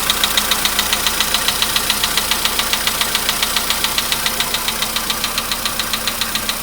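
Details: VW Polo Sedan at 99,329 km, cold start with the gauge reading 15 degrees: a sharp, regular, anvil-like metallic ticking knock over idle. It fades over about 5 minutes as the engine warms. The owner cannot locate the source.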